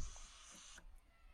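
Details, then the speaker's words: Nitrogen purge for brazing refrigeration pipework via a purging tool cone: soft steady high hiss under a second then fading; nitrogen flowing through the pipework normally. "this is our nitrogen and we've got it set to braze um and then when we switch that on hear that little hissing"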